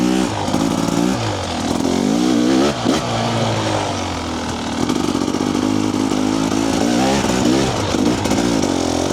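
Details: TBI two-stroke dirt bike before an ECU remap, at low revs and light throttle: an uneven, blubbery burble and stutter from rich low-rpm fueling, the bottom-end richness TBI bikes are known for.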